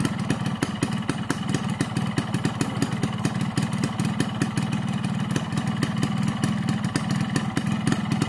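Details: Two-stroke motorcycle on Husqvarna HP 2T oil and Pertalite fuel, stock carburettor at standard jetting 22.5/145, aftermarket Crun block and GASPOLL CDI; quick, even popping idle judged normal, neither rough nor soft, for the standard setting.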